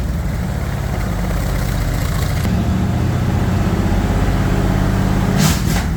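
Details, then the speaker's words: Bombardier wide-gauge snow machine with about 300 hours of rebuild work, idling after throttle screw adjustment with air breather off: steady low even rumble, no knocks or misses; normal idle. "so again dad's uh got it all fired up sounds pretty good so far with the big Bay D big bay doors open so we don't get gassed out here like we did the other day"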